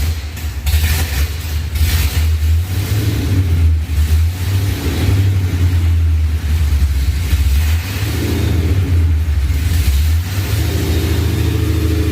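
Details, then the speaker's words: Ford SVT Lightning V8 with 3.4L Whipple, Trick Flow heads, forged block and cam. Deep loping V8 blipped up and back down, lumpy beat at low revs from the cam, otherwise running clean and sounding good. "so one more time one more time we got to hear that cam dude was barely getting that low oh she sounds really good"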